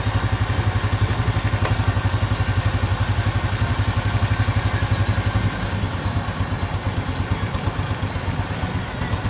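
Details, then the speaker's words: Honda Revo Absolute single-cylinder motorcycle idling steadily with an even low thump after oil pump cleaning: the earlier cam chain rattle is gone, and it now runs very smoothly. "Nah, dia itu sudah sangat halus untuk ketengnya, untuk mesinnya, dan suara ketengnya sudah tidak ada. Dia sudah halus banget."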